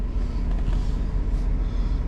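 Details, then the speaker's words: Warm idle of a 2009 GMC Yukon 5.3 LS V8 after oil pump replacement for low oil pressure, run about 15 minutes: 40 psi oil pressure, just under 210°F water, over 14 volts; steady even rumble with no knocks, ticks or lifter noise, healthy. "all right well here we are runs good and turn the fan speed down"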